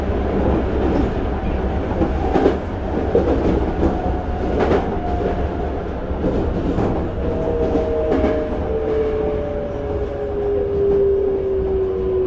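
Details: Toei 5300 series set 5315, Mitsubishi GTO-VVVF, on Keikyu line rapid limited express (Misakiguchi–Kanazawa-bunko), in-car recording: two clear tones around 500–700 Hz sliding slowly down over rail clatter, abnormal traction inverter whine.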